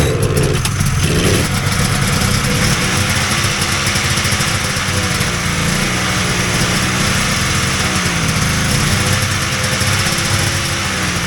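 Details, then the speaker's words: Vintage Polaris XLT triple snowmobile after sitting all summer in a trailer: ragged, uneven two-stroke run that surges and sags, never settling to a clean idle. The fuel pump wasn't pumping because its internal plate was reassembled upside down, misaligning the chambers. "that pump is definitely hurt which sucks because I just looked at it guess it's rebuild time"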